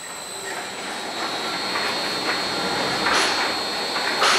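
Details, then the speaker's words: Vulcan fine screen BAR-312 wastewater screen drive, factory test in hand mode switched from low to high speed: steady high whine, occasional mechanical swishes, no knocks or grinding; motor running normally at high speed. "status went from high speed our indication of high speed we are still in hand in your door view or lights on the door control panel lights on running high speed and running lights are on"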